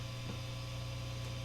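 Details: No-playing test on an Epiphone Les Paul Special with two stock Epiphone P90s into a Fender Hot Rod III Deluxe clean channel, tone and volume full up, middle pickup position: a low constant hum with faint buzz under amp hiss; the P90s pick up mains hum.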